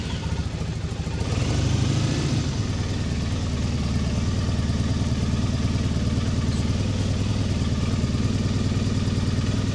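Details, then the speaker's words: Triumph Bonneville T100 790 twin after engine replacement, warmed up, off choke, about 48 mpg, checking per-cylinder carb balance: even steady idle, smooth low thrum, no knocks, misses or hunting; carbs well balanced, nothing much wrong. "I don't think there's a lot wrong with that, is there?"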